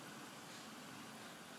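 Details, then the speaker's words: Sekai mini tower fan, disassembled, blower wheel with forward-curved blades running: even, smooth rush of air with no ticks, rattles or wobble; fan spins fast and normally, moving lots of air. "let's turn it on you can feel the wind here it sucks in from there then goes out from here so this fan is very fast"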